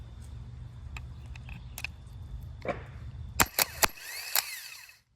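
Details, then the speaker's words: Pontiac Fiero fitted with a new bolt-in 3800 starter after the old one failed: a steady, strong electric whir for a few seconds, then metallic clanks, with no smoke; the starter spins normally. "much better and no smoke the new starter is in"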